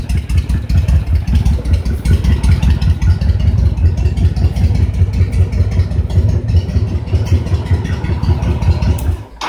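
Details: Honda VTX 1300 V-twin at hot idle while the air/fuel mixture screw is adjusted; stumble began at 1.5 turns, and best is between 1¾ and 2 turns. Low, even thumping idle at a steady beat with no stumble or hunting: a healthy mixture.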